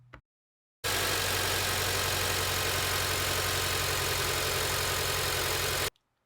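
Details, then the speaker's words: 2006 Acura TSX idling rough with a lumpy pulsing beat and loud hiss, check engine light on; misfire from a faulty ignition coil, fixed by replacing the coil. "The symptoms are rough idling and the check engine light was on."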